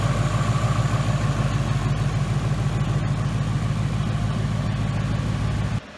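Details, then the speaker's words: 2018 Mustang GT V8 after new short block install, warmed up after about 10 minutes: deep even idle, steady low pulses about three per second, earlier ticking (suspected #1 cylinder) gone; healthy. "All right, guys, the car's running. It sounds awesome."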